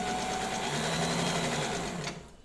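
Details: Reconditioned vintage White Rotary straight-stitch sewing machine sewing a faster run: fast, even stitching chatter with a steady motor hum, no knocks or binding, then it winds down, running smoothly.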